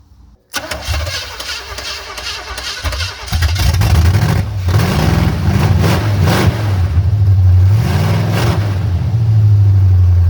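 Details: Engine in a first shop project car, vacuum advance disconnected, after timing adjustment: catches after a short crank and settles into a fairly even low idle with throttle blips, running clean; owner still suspects a miss; normal running.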